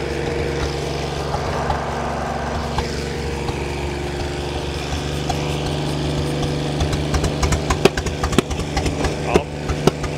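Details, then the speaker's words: Ford 8N tractor with a Funk flathead inline-six conversion, started with ether: catches and hums unevenly for a few seconds, then scattered pops and fades. Fires but won't keep running; owner suspects stuck valves. "I think we have a stuck valve guys this is about as much as this thing runs"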